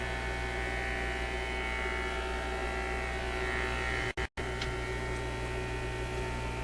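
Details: Zenith Y825 vacuum tube AM/FM radio: a constant low buzzing hum at a steady pitch with two brief dropouts, just after a tube is reinserted with the set running; the mains hum cause is not yet found.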